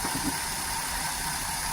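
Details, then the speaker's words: 2013 Maruti WagonR with K-series petrol engine hunting at idle with no check light. One cylinder is misfiring, traced to a failing ignition coil and fixed by replacing it. "वैसे दोस्तों इतना engine hunting का यह मतलब है कि कोई cylinder काम नहीं कर रहा है। तभी हमारा इंजन हंटिंग कर रहा है।"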